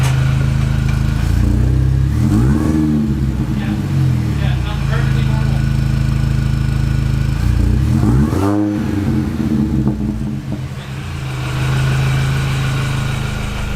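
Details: Mini with misfire and rough idle/stalling, before new plugs and wires: lumpy, uneven idle with stumbling beats and surging revs sagging toward stall; cause not confirmed.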